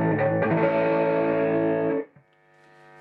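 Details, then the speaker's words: Marshall Valvestate guitar amp with dirty effects loop bypassed, preamp out patched straight into power amp: clean sustained guitar chord rings out with no crackle or dropouts, then decays; output restored, loop contacts need cleaning. "if you bypass this by taking the signal out of the preamp preamp out and putting it back into the power amp you can immediately clear it"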